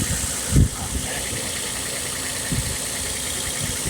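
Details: 2009 Nissan Xterra V6 after tune-up with new spark plugs, valve cover gaskets and upstream oxygen sensor: even, steady idle hum, only a couple of handling bumps, no misfire or ticking, no oil leaks seen; normal healthy idle.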